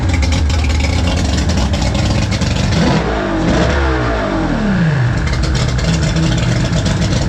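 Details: Mercury 3L outboard (225hp carb-to-250hp EFI swap), after a mechanic checked the work: runs and revs cleanly, climbing and easing back smoothly with no misfires or hesitation. The slide opens only on secondaries at full throttle; healthy.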